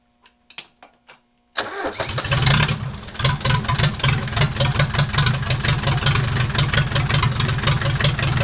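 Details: Mercedes 240D OM616 diesel, cold start on a chilly November day after sitting about a year or more with nasty old fuel and reassembly, glow plugs jumpered: a few clicks, catches at once, even rattly idle without knocks, some smoke; healthy.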